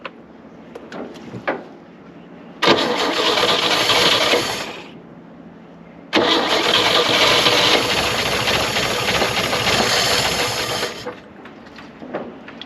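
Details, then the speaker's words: 1960 Chevrolet C-10 inline-six from an estate auction, untouched and first start: heavy, uneven hammering about two beats a second under loud exhaust; engine knocking, owner hopes it goes away with running, cause unknown. "she is not happy I don't know if you can hear that but she's hammering she's hammering pretty good hopefully that goes away with some time"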